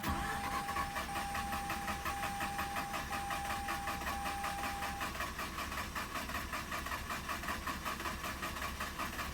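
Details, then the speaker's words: 2006 Mazda RX-8 that shut off while parking cranks without starting: steady starter pulses, two or three per second, no firing, until it spins slow; owner suspects apex seals or a blockage, compression unchecked. "Come on. It seems like it wants to. I'm gonna wait till it starts spinning slow."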